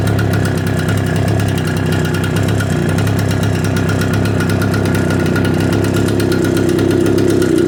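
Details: Echo PB770H two-stroke blower with a hot-restart problem, after an adjustment screw was backed off a quarter turn, restarted with no prime or choke: even, high-pitched buzz at steady speed with constant fan whoosh and no sputter; runs well hot.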